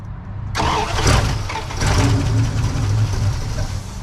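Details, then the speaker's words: Junk Dodge Ramcharger, third start attempt after a starter change: starter spins the engine steadily but it never catches; crank-no-start from fuel starvation, fuel flow apparently untested. "nope no fuel yet go again try it again try it again did we test this one to make sure it had feel flow I don't think we did"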